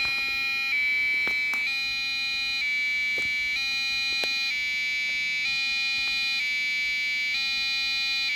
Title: eMachines K7MNF-64 Motherboard Buzzing Noise Problem